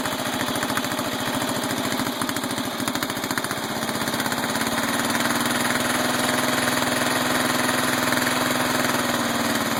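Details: Mower engine ("The Bio Hazard") after repair: carburetor screw had shaken out and jammed inside, the broken screw was found and it was reassembled; steady even firing at constant speed, no hunting or surging; normal running.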